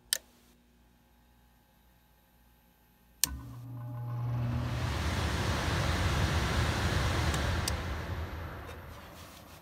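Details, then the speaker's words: Trane gas furnace on a no-cooling call, after the capacitor was replaced: silence, a click, then the fan spins up into a steady, even rush of air. The blower starts normally, so the motor is probably okay. "she fired up so the motor is probably okay"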